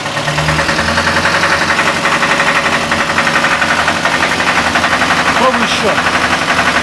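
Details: ZMZ 402 engine on choke: quiet at idle, but at 2000–2500 rpm a dense, rough rumble appears with an uneven pulsing beat about four a second. Owner suspects a burnt exhaust/muffler gasket, possibly valves or pistons.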